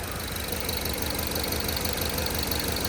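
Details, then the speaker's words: 2010 Ford Focus 2.0, warm after 30–40 minutes and about 10 miles, idles unevenly with a lumpy low pulse and whole-engine vibration. There are no engine codes and the plugs and coils are fine; the cause is a clogged catalytic converter. "runs like dog crap I even see it but the whole engine is vibrating there's no there's no check engine codes for engine"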